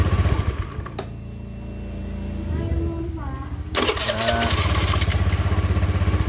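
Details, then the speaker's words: Honda Beat scooter, new battery, starter previously whined and jammed; after replacing the starter dynamo part, brief cranking then even putter about four beats a second, no squeak or grinding: normal starting and idle. "sekarang lancar ya jadi nggak ada suara cekuk-cekuk atau macet di bagian dinamo"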